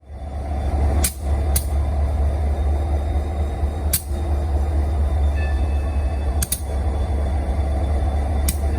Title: Union Pacific SD40-2C Locomotive Idling (interesting popping sounds)